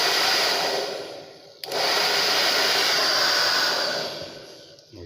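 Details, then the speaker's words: TAIFF 2100W titanium hair dryer after cleaning and lubrication: steady, even airy rush with no screech, cutting out briefly once; the loud screaming has largely stopped and it heats normally. "parou de gritar tanto"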